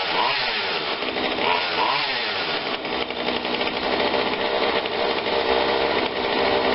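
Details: Husqvarna 142 40cc two-stroke chainsaw, long unused, running after repair and tune-up with cover and filter off: a few quick throttle blips, then a steady, even run without stumbling; runs healthy.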